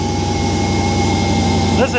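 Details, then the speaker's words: Hellcat Magnum with supercharger and factory-style Redeye intake, just fired up: steady deep idle with constant high supercharger whine and air-sucking hiss on top; normal intake noise. "You can hear that thing just suck in the air in now. You can actually hear the supercharger."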